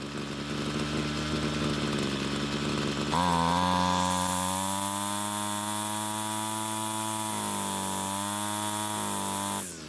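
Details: Homelite string trimmer two-stroke that wouldn't start; after stalling when warm from lean low-speed fuel, L screw turned out a quarter turn; buzzy idle picks up sharply, holds clean steady high rev, then drops off, running smoothly.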